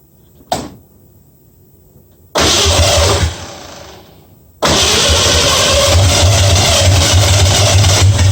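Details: 1965 Mustang with new headers, timing at 12 degrees before, after turning the front idle screw about three quarters of a turn: cranks, catches, stalls briefly, restarts and settles into an even steady idle without misses; sounds real good.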